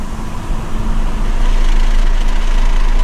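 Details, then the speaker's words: MK5 Toyota Supra, windows down at 50–60 mph, worst at 54 mph, before fitting Armaspeed Windblock side mirrors: deep pressing throb builds in the cabin under road rumble, felt as reverberation; wind buffeting, normal again in the 40s. "At 60, you still hear it. 54 is the worst. Oh my gosh."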